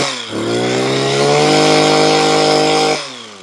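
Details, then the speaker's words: Makita petrol hedge trimmer, about 15 years old, after replacing perished fuel lines that let air in: small two-stroke revs cleanly, holds steady high buzz without bogging or cutting out, drops back smoothly; fixed. "Oh, so there we have it. A great repair. It's all fixed, working again, which is great news, because these are not cheap."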